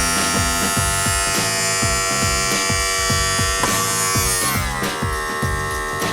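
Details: 1999 Mercury 200 EFI outboard on a Champion boat, sat for years, power tilt/trim pump running after topping up fluid: steady electric motor buzz with uneven pulsing two or three times a second; air in fluid suspected.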